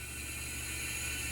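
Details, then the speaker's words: BMW E32 735iL with the M30 engine at 395,000 miles, leakdown test on cylinder six; a steady hiss is heard at the open oil cap, not past the valves, confirming cylinder wear; the shortblock is being replaced. "the oil cap off you can totally hear the air coming out here and I can totally smell - so it's not a leak past the valves which I kind of knew anyhow"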